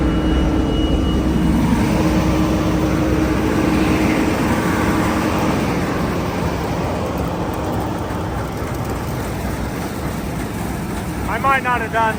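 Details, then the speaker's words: Massey Ferguson 860 hydrostatic combine, first run out of storage before corn harvest: steady diesel drone with constant rhythm, no knocks or misses; normal running, sounds good. "Sounds good though. We'll grease it and take it to the field."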